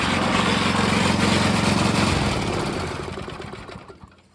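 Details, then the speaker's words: Small engine on vintage gold trommel driving water pump, steady beat of about three pulses a second, then winds down as shut off; water flowing; normal running. "Oh yeah, so we got water flowing now. It's flowing through. We just need just a little bit more."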